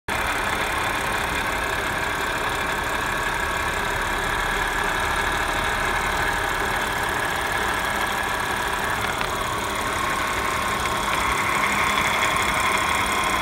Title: 2015 Audi S5 Whining/Rattling noise?